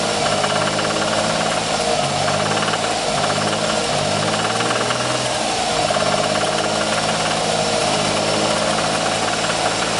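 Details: 1994 Ford Taurus SHO V6 idling: sharp rhythmic knock at steady pace through the engine note, appearing about 500 miles after a timing belt change; source unknown.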